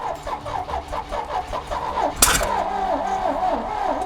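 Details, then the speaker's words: 1968 GMC truck, not run in over 30 years, running on a clean main tank with fuel pumped and throttle applied: slow rhythmic cranking, then one sharp pop back through the carburetor; a cylinder hangs a sticking valve and fires into the intake. "Just as it starts to build compression and start, one of the cylinders hangs a valve and it fires up in the intake and pushes all of our fuel back."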